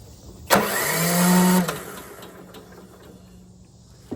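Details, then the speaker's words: Craftsman riding lawnmower that died while mowing, cranked with a jump starter: starter spins the engine fast and smoothly with no compression pulses, zero compression. "Well, just as I expected. Absolutely zero compression."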